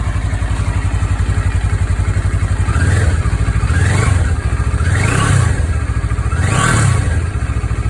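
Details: 2013 CFMoto 650NK twin on its stock muffler, before fitting a Musarri slip-on: even, quick thumping idle with a few short throttle blips rising and settling cleanly; healthy.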